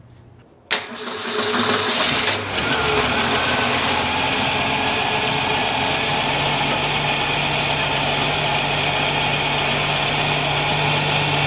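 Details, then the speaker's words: 1965 Ford Falcon inline six, warmed up, run with a cut-open spare valve cover after valves on cylinders 3 and 4 looked tight: smooth even idle, steady low hum, no valvetrain tapping heard; normal idle. "I don't hear anything. Neither do I. I don't hear I told you! I told you! I don't hear anything."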